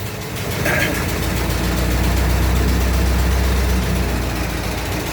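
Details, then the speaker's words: 1924 Dodge truck, about 100 years old, running again after a dry start; throttle held slightly up to warm it, oil pressure about 40 lb, no smoke; slow, deep, steady beat about four pulses a second, no knocks, healthy idle. "well it's got good oil pressure it looks like 40 lb I got I'm holding the throttle up a little bit get a little heat to it sounds good"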